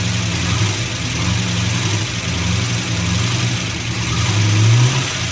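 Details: 1974 AMC Hornet wagon V8 first start after swap to a milder camshaft (old cam had a collapsed lifter and sounded like a diesel), distributor loose and untimed: lumpy but even idle with small rev swell, no ticking; runs healthy.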